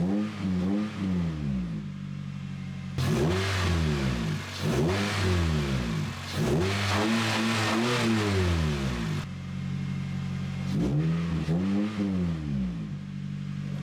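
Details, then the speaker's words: 2007 Honda Fit GD3 after replacing passenger-side engine mount with a stiffer Innovative Mounts unit, on the ground: smooth idle then clean rising and falling revs, no clunks or knocks, no engine rocking felt; normal. "Everything feels normal uh rev smooth dent feel like it's walking back and forth or anything like that"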